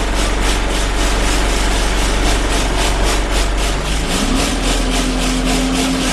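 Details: Arriva Yorkshire Alexander Dennis Enviro 200 diesel bus (YJ09 CVD), recorded on board on a Bradford–Batley service: engine drone with a rough, pulsing buzz about three times a second over the engine note, source unclear. Finding: loud vibration noise.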